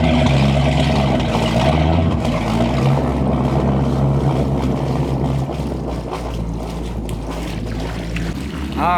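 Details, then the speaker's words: 1989 Sea Ray 340 express cruiser, both inboard engines idling at the dock before a lake shakedown: deep, steady, even rumble with no misses or knocks; both engines running good. "right we got both engines running running good about to untie and get off the dock"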